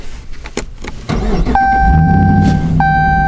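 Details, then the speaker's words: 2005 Jeep Grand Cherokee WK power window stuck; steady mid-pitched motor hum with the switch held, continuing even with the car off, glass not moving; motor labouring, cause unknown. "you hear it's just making that sound and if I turn my car off it's still making this sound that's so weird"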